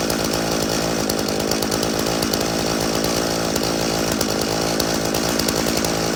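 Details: Stihl chainsaw (customer's MS 391 or MS170), dropped off because it would not start; refuelled with his own fuel, which had some dirt in it, then started outside at night. Sharp, steady high buzz with crisp, even firing; it starts and runs fine.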